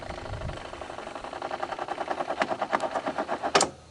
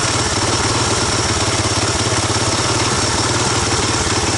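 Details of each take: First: 1985 Honda ATC250ES Big Red single-cylinder idling warm after carburetor swap: light rapid ticking whir from the kickstarter clutch, speeding up then cutting off, over an even idle; normal kickstarter clutch whir. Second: 1985 Honda ATC250ES Big Red single-cylinder after carburetor swap and adjustments, air box on: fast, loud, slightly uneven burbly idle; owner suspects it needs break-in and more fuel through the carb; rough running.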